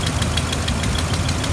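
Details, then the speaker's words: Engine idling after an alternator replacement, with a known exhaust leak still to be fixed: steady idle with a quick, even puffing tick about six or seven times a second over the rumble; exhaust leak. "I'm gonna start it out and don't worry the exhaust leaks the next thing to get fixed"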